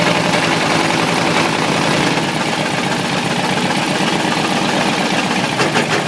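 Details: Ford 351W V8 with a spun rod bearing, abused: a rough idle with a sharp, uneven knock about three times a second over the exhaust, a rod knock.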